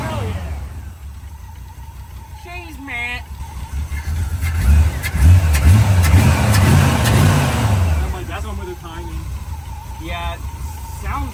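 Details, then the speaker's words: Carbureted V8 on a junkyard Holley 600 CFM vacuum-secondary carb, just adjusted: it idles, then revs up and falls back slowly and unevenly. Throttle response is lazy; accelerator pump suspected, not confirmed. "it's like a little [Music] lazy could be our accelerator pump maybe you know a little bit or something"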